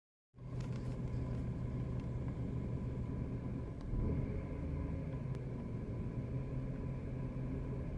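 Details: BMW E90 320i at idle: steady low rumble with gritty grinding from the front of the engine, present only with AC off, gone when AC is switched on; owner suspects AC compressor bearings, unconfirmed.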